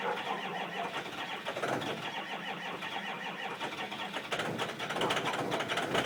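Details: 2005 Ford Powerstroke 6.0 L diesel cold start, block heater plugged in about 5 hours: long weak cranking with scattered catches before it stumbles toward running; hard cold start.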